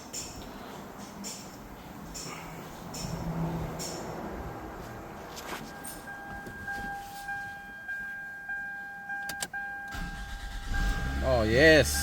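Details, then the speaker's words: 2002 Toyota Camry that would not start, after the bad starter was replaced: a short clean crank catches into a steady idle; the new starter works normally. "you heard that vehicle finally turns on we're ready to go"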